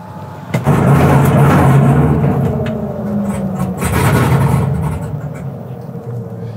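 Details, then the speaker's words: 1967 Chevy C10 that broke down at a dragstrip after running fine to the track: engine catches and idles, then runs lumpy, surging and sagging, dying within about 10 seconds when the gas is touched; rough running, cause not yet known. "It's really unhappy. Well, it ran good for a minute. Well, Yeah. actually about 10 seconds. Yeah, that's the weird thing. You fire it up and it idles just fine until the moment you touch the gas pedal, and then it just says no."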